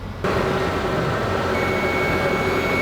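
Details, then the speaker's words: Fuel-injected Ford Ranger after sitting about 14 years, started on added fuel and a fresh battery: steady, even engine note with faint high charging-system whine, no knocks or misses; runs amazingly well. "This is crazy that this thing sat for so many years that it did and it runs the way that it does."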